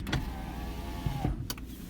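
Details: Lexus IS300 with 2JZ engine and 260,000 miles: power window motor hums steadily and smoothly, then stops with a soft thunk as the glass seats; windows all work, normal operation.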